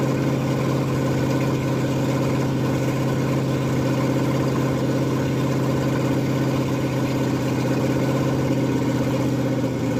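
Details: Ford F100 302 with Comp 268H cam, warm, running for cam break-in after valves readjusted: loud steady open-header rumble at fast idle, no ticking or tapping from the valves; clean even normal fast idle.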